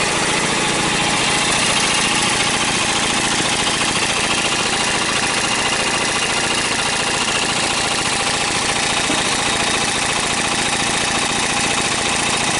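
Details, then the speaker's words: Briggs & Stratton opposed twin with dual carburetors and dual exhaust, first run on gas with Marvel Mystery Oil: rough hissy chuffing at about 214 beats a minute, exhaust puffing back through the carburetor; flywheel wobbles badly. "hear the exhaust coming up through the carburetor not good"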